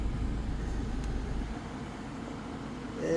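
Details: 2012 Kia Sorento after blower motor resistor replacement (previously blew only on setting 4): steady rushing airflow with even motor hum, no rattles or squeal; blower running normally on high.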